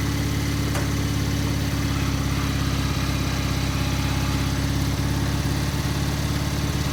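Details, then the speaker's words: Gravely 50-inch mower deck after repair, running on the lawn with the lifter arm left off: a steady low engine drone with the deck spinning smoothly and no knocks, rattles or scraping. Running normally; the deck grease still needs watching. "well it worked pretty good um as far as noise i don't know if uh everything seems to be okay"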